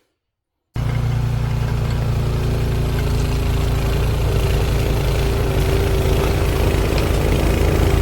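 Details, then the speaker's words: Cub Cadet 2X 26 after a carburetor rebuild for a no-start: the engine catches after a brief silence and settles into a steady, even low chug with no misses or knocks; fixed. "so we'll go to run and we'll see if we can get it to fire off there we go all fixed thanks for watching"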